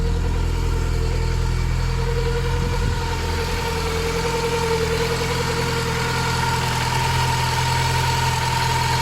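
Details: Mk2 Golf 1.6 petrol, automatic, Weber carburettor, after choke cable adjustment, with an oil leak at the back of the rocker cover gasket: even, steady idle with a smooth low throb, no misses or hunting; normal idle.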